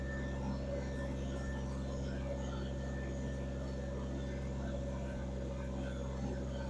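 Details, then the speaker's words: Kubota BX2360 diesel tractor started after replacing fuel filters and bleeding lines, following cold-weather power loss: steady, even diesel drone with low constant hum, no knocks or misses, running normally. "You got to give it long enough for gas to get back up to this filter, and I'm going to check those, and then we're going to fire it up."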